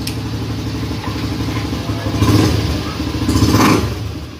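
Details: Honda Beat Street scooter engine after fixing the dead speedometer and starter by replacing a blown fuse: the small single cylinder fires up and runs cleanly, rising and falling smoothly with a couple of blips; sounds healthy.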